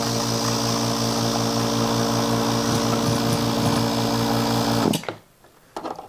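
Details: Newly built vacuum pump for a digital vacuum wax injector: steady, even hum with firm low drone and smooth hiss, no knocks or grinding, then shuts off; healthy pump.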